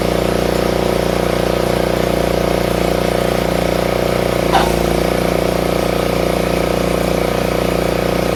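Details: Craftsman RER1000 riding mower right after a collapsed fuel line was replaced: steady, even beat of about 3.5 pulses a second without stumbling or surging; normal running.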